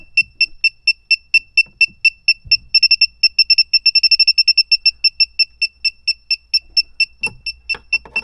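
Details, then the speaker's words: A/C refrigerant sniffer, after compressor, condenser and line connections were checked: steady high beeps at about two a second, briefly speeding up near the spot. Leak suspected at the expansion valve or around the evaporator. "I checked all around every connection with the uh compressor the condenser all the lines going to it and I'm getting a sniffing reading right around here"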